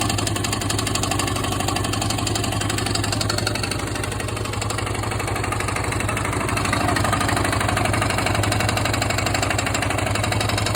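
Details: Yamaha XT/TT600 big single after new piston and renewed Nutenstein; steady idle with a hard, regular tapping on every beat, about four per second; knock source still unknown.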